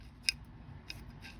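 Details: Repaired adjustable wrench with welded original jaw: three sharp bright clicks about a second apart as the jaw slides and snags at one small spot, freed with a shake; cause of catch unknown, suspected tiny high spot.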